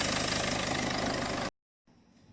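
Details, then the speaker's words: Peugeot 406 2.2 HDi diesel idling before teardown; a faint light chirp rides over the clatter from the belt end, identified as the overrunning clutch on the end of the alternator pulley, separate from the high-pressure fuel pump leak being fixed. "yeah pick that's my alternator listen to my father oh yeah I'd send a little chirping sound here is actually the clutch on the end of the alternator"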